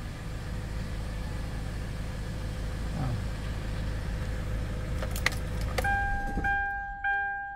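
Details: Hyundai Starex diesel after fixing a no-start problem, no check engine light: steady even idle for about six seconds, then engine shuts off and chimes sound; runs smoothly.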